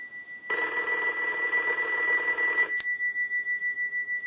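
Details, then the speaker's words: AE Monophone 40 rotary desk telephone after repair and conversion, final checkout rung repeatedly from a line analyzer and heard through an amplified pickup: clear, steady double-gong bell for about two seconds, then a clean stop; healthy ringer. "now what we want to do is we want to go ahead and use the analyzer and will ring the unit we're going to let that go a few times"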